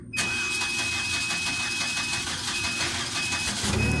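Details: 2014 Ford Fusion after engine damage during service (piston struck a valve at first crank after timing cover reassembly): short crank that fires quickly into a smooth, steady idle with no knocking or ticking, a clean start.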